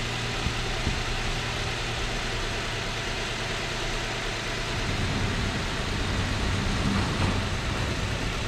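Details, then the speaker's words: 2006 Chrysler 300 with a suspected blown head gasket, new coil pack fitted: an uneven, lumpy idle stumbling about three times a second with no smoke. A cylinder is still misfiring; the cause is unconfirmed. "maybe i i just want to see if it stopped missing at this point but it still sounds like crap oh it still sounds like it's missing"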